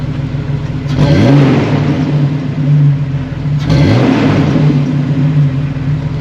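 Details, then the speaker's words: 2006 Jeep Wrangler TJ 4.0L with a newly installed Flowmaster cat-back exhaust: a mild rumble at idle, then two clean revs rise and fall smoothly with no rattles or leaks; normal revving. "a touch of a rumble at idle but as soon as you accelerate a little bit I don't hear much of anything"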